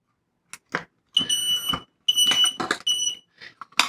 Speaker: now you've reset the unit you can test it if you like just by pressing there it is that's how you reset and replace your battery in a smoke detector unit